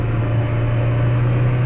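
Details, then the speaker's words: 2003 Jetta on stands with wheels and brake rotors removed, higher gear near 3800-4000 rpm: loud steady low drone; reduced vibration persists, specific to that rpm range, gone with clutch in or rpm change; cause unconfirmed. "right there definitely vibration and then it goes away if I push in the clutch or if I reduce or increase RPM"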